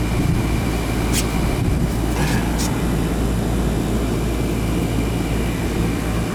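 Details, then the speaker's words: Newer Ruud AC outdoor unit, installed about 2020, not cooling until a loose wire connection was fixed, capacitor good: steady even fan and compressor roar with low hum, no clicks or rattles, condensate draining; normal running. "I think that was just a funky connection here on almost that wire for two years God nice and cold yeah sure we get a nice steady stream coming out of there"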